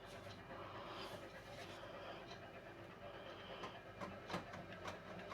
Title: washing machine beko WMY81283LMB2 Extremely unbalanced spin on service mode with clicking noise